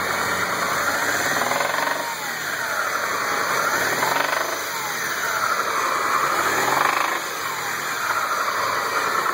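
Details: Mitsubishi 6A13 engine, revved up and down every few seconds: metallic knock riding on the revs from worn, damaged rod bearings.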